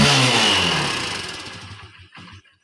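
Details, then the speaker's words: Honda Unicorn 150 motorcycle after carburetor reassembly; it previously died when revved, traced to the main jet. It now takes throttle cleanly without cutting out, but the note sags toward a stall because idle is not yet adjusted. "आता मी गाडी self use करतोय. बघा, गाडी आता race proper घेता बघा."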